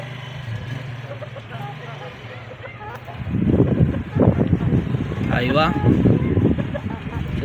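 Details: Keeway RKV 200 motorcycle, 2013, after starter repair ending smoke and fuel leak, road test: clean steady exhaust note rising and falling with throttle, no misfire or popping; normal running.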